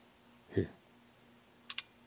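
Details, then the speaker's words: Hour meter from an old Cat D3 bulldozer connected directly to 12 volts: soft thump then two crisp ticks as the counter steps; the meter works, fault is that it isn't getting power. "you hear it counting and see the clicker over there so the hour meter works it's just not getting power"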